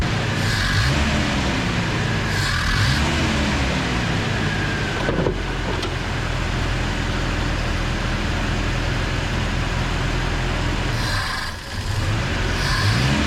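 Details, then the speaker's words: Carbureted truck after a carb swap: engine climbs unevenly on each blip, sagging and stumbling; owner sees almost no accelerator-pump squirt and the throttle linkage coupler not moving the carb shaft, and suspects fuel starvation; hesitation on acceleration. "then as you go to rev it up it's barely trying to give it the tiniest little squirter fuel so I don't think we're running the fuel through the thing to keep the damn thing running"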